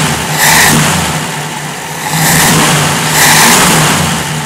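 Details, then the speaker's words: 1965 Jeep CJ5, newly fitted XF Falcon electronic ignition and distributor, stone cold, possibly low on oil, suspected fuel supply issues: three quick blips rising cleanly and settling to even idle, no misses; smooth. "all right so that's it it's really smooth"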